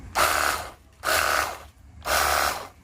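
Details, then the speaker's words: Battery-powered portable jet cleaner (pressure washer) after repair of a motor that hummed and got hot but wouldn't spin or pump water. It now runs short, smooth bursts with spray hiss, quieter and smoother, no rattle. "dan suaranya lebih kalem ya, lebih halus."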